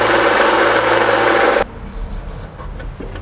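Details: Harbor Freight belt sander after a minor rebuild to fix loud running, vacuum duct fitted: steady, even whir with no knocking or rattle for about a second and a half; running smoothly.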